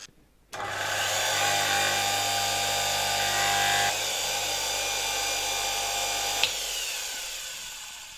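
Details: Soviet Czajka vacuum cleaner suction motor, likely Czajka 3 from the 1970s, after replacing both bearings (16100 and 627): high whine spins up, shifts pitch and level, then runs down unevenly; bearings did not fix it, rotor likely needs replacing.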